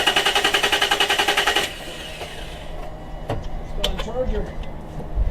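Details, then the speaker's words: 2006 Nissan 350Z (Z33), long unused, with a camshaft angle sensor problem and codes P0340/P0345/P1084; the engine cranks fast and hard for under two seconds but never fires, so the battery is not suspected; cranks but does not start. "it doesn't sound like it's a battery problem it's crankin its cranking hard"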